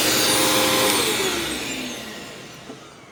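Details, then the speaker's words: Previously rebuilt vacuum left outside about a month and rained on, run again: smooth high motor whine falling evenly as it coasts down, no grinding or bearing rumble. Bearings fine, brush roll may rattle slightly, normal run-down. "I was kind of worried the bearings were going to like lock up on it and it was going to start sounding like crap but it actually sounds just fine"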